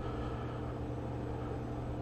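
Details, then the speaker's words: Refoamed old-school Hollywood Sound Labs 10-inch subwoofer driven by signal generator at max level after gluing surround: deep steady low tone, no buzz, scraping or rattle; cone moves freely and centred, no rubbing. "And as soon as I got that, I'm going to crank it up to the max my signal generator can do to make sure everything's golden."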